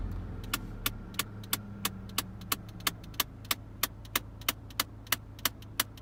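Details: 2001 Mitsubishi Galant EA2A 2.0, sharp plastic clicks about three per second from the climate control system, unrelated to engine speed, that began suddenly on the highway; cause is a broken heater/cooling flap actuator.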